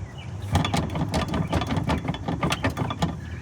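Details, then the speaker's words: Mustang with Ford engine, noise heard while driving: irregular hollow clunks and rattles, two or three a second, over road rumble, from worn upper control arms that need replacing. "Needs upper control arms."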